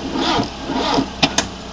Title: Mi16 engine won't start